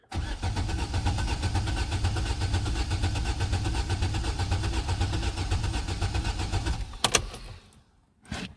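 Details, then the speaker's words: Astra H 1.6 replacement engine, first cold start attempt, out of gear, fuel pump relay/fuse and ignition coil disconnected: even cranking about two turns a second for seven seconds, no fire; turns freely, though oil light hasn't gone out. "Bit worrying that the oil light hasn't gone out. But it sounds quite healthy."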